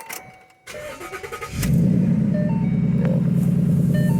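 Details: 2014 Ford Mustang GT with replacement engine and Corsa quad-tip dual exhaust: crank spins briefly, then the engine catches cleanly into a strong, even, lumpy idle with deep exhaust, no knocks or misses; no check engine lights; normal start.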